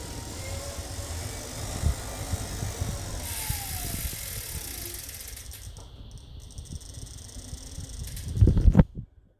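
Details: Tacx Bushido Smart indoor trainer after 5–10 minutes of harder riding: low rumble while pedalling, with loose, uneven clicks about four times a second under load.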